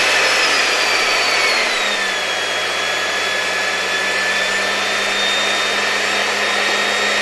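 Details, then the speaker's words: LG V-3340D vacuum cleaner with a new no-name 1400 W replacement motor, run through a voltage regulator at reduced voltage: steady high whoosh and clean whine settling at speed, no rattle or grinding, no excessive sparking; normal running. "And it seems to me that our new motor is working very well."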